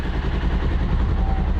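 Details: 2021 Polaris Ranger 1000 idling for a minute after a fresh oil and air filter change, oil circulating through the new filter: steady low, even rumble, no knocks or ticks; normal smooth idle.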